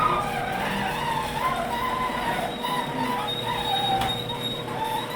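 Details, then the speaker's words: Worm-drive garage door opener running after its drive was greased with white lithium grease to cure loud noise. The motor gives a low, smooth, very quiet hum, with only faint squeaks left from the rollers. "almost can't hear it [Music] so the motor [Music] itself super quiet"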